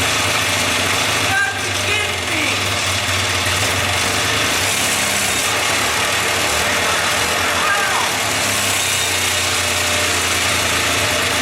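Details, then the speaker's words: 1979 Kawasaki Drifter 440 two-stroke snowmobile, unknown history, first start: fires quickly and settles into an even, steady idle with no stumbling or misses; normal idle, not rough as expected. "I can't believe it I thought that if it did run I thought it was going to take a lot longer than that but if we did get it running I thought it was going to run as rough as a cobblestone Road"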